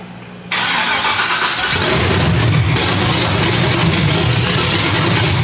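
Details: LSX-swapped 450 hp Datsun 280Z at first start-up: the starter whirs, then the V8 catches and settles into a firm, even run with no knocking or ticking.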